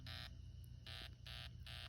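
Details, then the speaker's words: Fire-burnt smoke detector powered from an outlet test rig, green light still on: a faint, weak, thin electronic buzz repeating in short bursts about a second apart as it struggles to sound; the alarm still partly works. "So, yes, smoke detector does work after a fire. This is crazy. As you can see, the smoke detector is trying to go off right now, if you can hear it."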